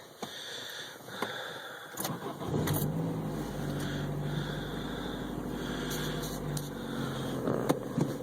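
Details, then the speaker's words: 1994 Saturn SC2: on startup and pulling away, a couple of dull clunks and a beep from under the hood, then idle; owner unsure if tied to speed or clutch engagement; cause unknown. "I don't know if it's above a certain speed or clutch engagement or something, but it always goes cluck, cluck, beep from like under the hood, which is really weird."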